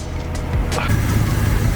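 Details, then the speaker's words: 1969 XW Falcon started for the first time in about a year, running from a brand-new plastic tank on an old battery, alternator charging 16 volts: low, steady idle with no misses, knocks or hunting. Sounds healthy. "she's actually running and she sounds pretty healthy"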